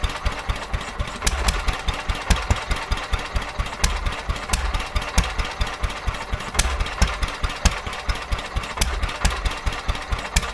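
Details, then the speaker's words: Petter A11 (A1 series 2) single-cylinder vintage stationary engine, owned 12-13 years, sat damp in a container for four years; slow, irregular firing with uneven beats and stumbles; rough uneven running, owner suspects fuel starvation from dirt in the carburettor. "Yeah, I think they're going fuel starvation. I think the carburetor's got a little bit of crap in it."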